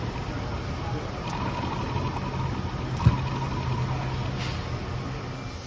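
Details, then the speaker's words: 30-year-old alternator from an RS2, removed and spun on the bench before rebuild: low droning hum with a rough, gritty rumble underneath from worn, noisy bearings. "And we'll just have a little listen to those noisy bearings now."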